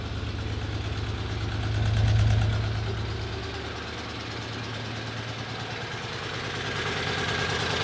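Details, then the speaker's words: Geo Metro small engine after a throttle blip, now idling well: buzzy, even idle with steady pulse and gentle swell in speed; healthy settled idle, though the cooling fan is not running. "There we go. Now it starts idling good."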